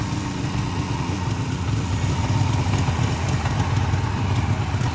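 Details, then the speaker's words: 1973 Suzuki GT550 two-stroke, cold start on second kick with a little throttle, choke off, so idle is slightly low; low rapid burbling idle that holds steady on its own without stumbling; normal idle. "choke still off so that's why it's idling a little low right now she's cold but probably still holding idle on its own"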